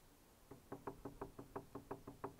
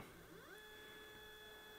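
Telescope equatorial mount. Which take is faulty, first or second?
first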